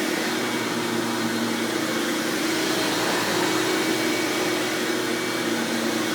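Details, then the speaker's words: 1997 Hoover Dirt Finder Power Drive U6331-930 self-propelled upright vacuum, a model known to be loud: steady high-pitched whirring rush with constant tone, no knocks or rattles; vacuum motor running smoothly. "now also another thing that's pretty common for foreign for elites that is they are known to be very loud when they're running but headphone users beware so turn your volume down for this part"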